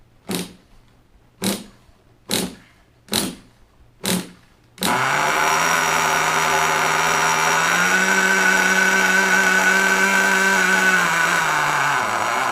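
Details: Nitro RC engine, cold start after priming fuel to the carburetor: five hand-spun cranks, then it catches into a steady high buzz that climbs briefly and settles; clean normal start and run.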